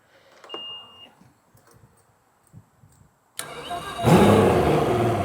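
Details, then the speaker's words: 200hp motor after compression test and fresh NGK spark plugs fitted: quiet cranking clicks, then catches sharply and settles into a strong, even run, starting noticeably stronger than before; normal start. "yeah, that sounds better. That almost sounded like it started up 10 times stronger."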